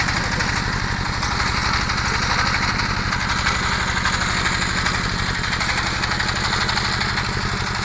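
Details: Small single-cylinder water pump engine chugs unevenly, beats dropping out every couple of seconds; clear misfire, cause unconfirmed.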